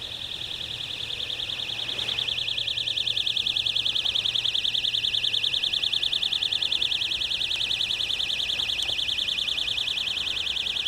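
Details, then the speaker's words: Outdoors at night at a riverfront marina: a high-pitched electronic buzz pulsing about 1.5 times a second, very regular, likened to "a cricket times 100". It was traced to an electrical box; an alarm is suspected, source unconfirmed. "And there's some strange noise outside. It sounds like a cricket times 100. Could be the guy next door got something."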